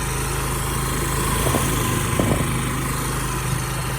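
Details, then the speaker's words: Honda SCV100 Lead scooter, small front-mounted Honda engine, buzzing fast and even at rest with light wind. Idle is set high because of a slight CV carb fault; lower, it cuts out hot. "It's got a high tick over because there's a very slight problem with the CV carb. If I turn it any lower, she cuts out when she's hot, so she'll restart again, not a problem."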